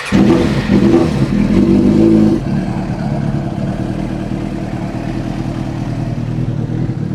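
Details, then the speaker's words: Suzuki RF600R after an oil and filter change, started cold on choke to circulate oil: sharp revs settle into a fast, even, slightly lumpy idle; normal cold idle on choke. "So what we're doing there is just letting the oil cycle through the engine."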